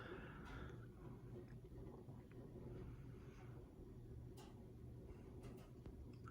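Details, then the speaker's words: 52-inch Emerson 1895 Series four-speed ceiling fan in polished brass, on lowest speed: quiet steady low hum with no knocks or rattles; runs smoothly. "this fan is actually a four speed so we'll go ahead and fire it up on the lowest speed here very nice low speed at"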